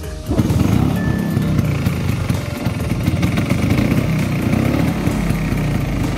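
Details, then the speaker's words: Vespa Sprint "Bagol" two-stroke scooter, freshly rebuilt engine with new bearings and piston: starts and settles into a crackly, uneven buzz, harsher and noisier than an identical-spec Super; rough noisy running said typical of these Medan Vespas. "Kalau menurut saya tuh agak kasar suaranya. Kalau dibandingin sama super saya yang biru itu, ini suaranya lebih berisik gitu."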